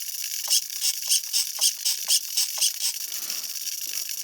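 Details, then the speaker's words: Old Traxxas Revo 3.3 nitro RC truck being revived, powered on with the stock throttle servo before replacement: quick, high ratcheting clicks about four per second for three seconds, then quiet, from the reverse servo's gears chattering. "power this thing on get a nice view in there don't mind that noise that's just the reverse servo"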